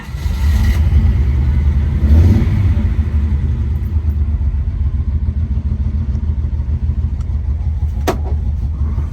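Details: Test drive after rebuilding the Solex Mikuni Type R carburetors with new gaskets and an extra throttle return spring; engine pulls cleanly through a rev rise and settles back smoothly over road noise; no stumbling, no throttle hang; success.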